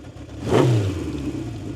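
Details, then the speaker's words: 1970 Honda CB750 K0 four-cylinder, fully rebuilt engine with 2,000 km since, low on fuel, heard from behind: one crisp throttle blip climbs quickly, then drops back to an even idle with no popping or rattle; normal exhaust note. "Normal, you're after. When you uh It the sound is brutal. Love it."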